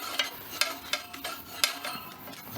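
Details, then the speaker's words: Scott Bonnar 45 reel mower during rebuild, reel being adjusted against the bottom blade: light, sharp ticks as the reel turns, metal tapping the bottom blade; reel set too close, uneven blades, noise suspected from the right side. "And we've got a bit of a tap going on now as well, so"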